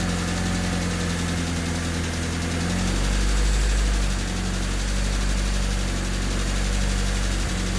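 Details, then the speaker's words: Honda D16Y8 swapped Civic after valve lash set to spec, not fully warmed: idle slowly swells and sags every few seconds with light tick about four per second; hunting idle persists, owner suspects ticking from injectors. "I mean, it's still ticking quite loud. Could very well just be the injectors. They are all to spec now. It's still idling a little weird. It has a hunting idle."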